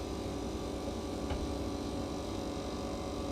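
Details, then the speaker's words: Sea Ray 320 engine hatch actuators after replacing an actuator and greasing the rubbing hatch clearance: steady, even motor hum with no rubbing, scraping or squeal; running smoothly and quietly. "sounds better just with the grease on it well good I'm glad all this worked out here and uh we got our actuators in they're not making any crazy noises"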